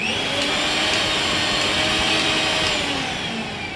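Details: Bajaj mixer grinder after repair: even, high-pitched motor whir holding steady speed and tone with no rattles or catches; normal running.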